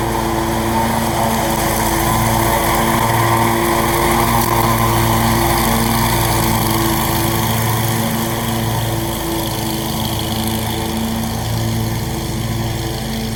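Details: Scag mower with a brand-new Briggs & Stratton engine, blade belt reinstalled to test the blades: steady, even drone at constant speed without misses, knocks or surging; normal running.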